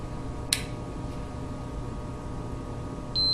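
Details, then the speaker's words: Whirlpool refrigerator temperature control (thermostat) switch tested with multimeter on continuity: after a click, a steady high beep holds in the on position, showing continuity through the contacts; switch is good. "now you hear the sound that means it's good"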